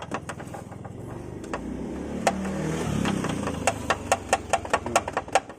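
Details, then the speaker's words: 2013 Honda Brio driven over rough road, rear-left clunk: sharp irregular light ticks over road rumble, bunching on bumps; loose reversing-camera RCA connector wiring knocking against body, not the shock mount as first suspected. "Ini ada kabel soket buat kamera mundur, Sobat. Jadi ada plus minusnya itu dia bunyi. Hm. Kayak kabel soket RC gitu."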